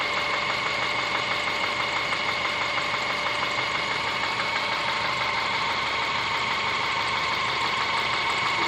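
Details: Subaru Forester SG5 with EJ25 engine at idle: regular light knock at about 92 a minute over busy upper-engine clatter, cause unknown.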